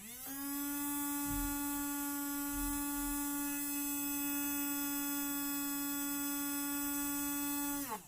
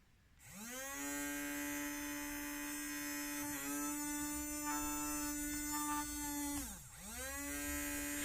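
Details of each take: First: Small DC toy motor fitted with a ceramic suppression capacitor; steady clean high hum at constant pitch, then a smooth drop as power cuts; smoother than the uncapacitored motor. Normal motor hum. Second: Toy brushed DC motor running without its lens-type suppression capacitor gives a different, irregular buzzing hum whose tone wavers mid-run, compared with the capacitor-fitted motor; the capacitor absorbs the motor's reverse current.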